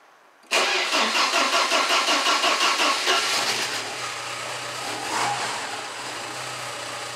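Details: Porsche 944 Mk2 after replacing the front fuel lines, test run with a little fuel in the tank (pump runs only while cranking): several seconds of rhythmic cranking, then it fires into a smooth steady idle; normal start and idle.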